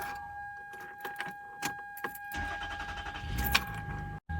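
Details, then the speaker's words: Toyota Sienna after rear spark plug work and throttle body cleaning with throttle cleaner: keys rattle and a door chime sound, then the engine starts on the second try without gas and settles into a steady idle. Owner says it started shaky due to the throttle cleaning. "Okay, started. I didn't have to press the gas. Started shaky, obviously, because I cleaned the throttle."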